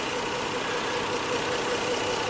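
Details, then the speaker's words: 2002 Lexus GS 300 engine at idle: smooth, even hum with no ticking, tapping, valve tick or exhaust noise from the headers; quiet, healthy normal idle. "so as you can hear uh the engine is very quiet the headers are very quiet there's no exhaust noise no engine ticking no valve ticking anything like that"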